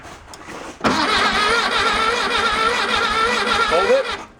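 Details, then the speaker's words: 1966 VW Bug that sat about four years, float bowl filled with gas-oil mix and choke closed: about three seconds of steady cranking without catching; crank no start, fuel line leaking everywhere and being replaced. "fuel line is absolute swiss cheese it's just skirting from anywhere and everywhere out of the fuel line so I'm going to go replace that"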